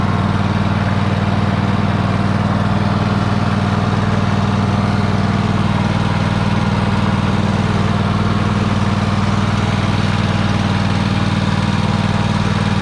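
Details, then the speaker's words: Free Troy-Bilt riding mower, started with help while the carb shut-off solenoid clicks, needing a solenoid: steady, even low twin drone, no knocks or misses over thirteen seconds, healthy. It moves in reverse, though the belt smells burning and is possibly the wrong belt. "There it is. So yeah, it runs and moves."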